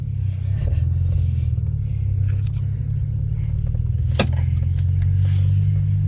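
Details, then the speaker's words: BMW E90 N54 twin-turbo after replacing front and rear turbo vacuum lines to cure boost leaks: strong, smooth low rumble with an even rev, no misfire, stumble or rattle; normal. "Yo, that's how it sounds. That's how it's supposed to sound. We're so back."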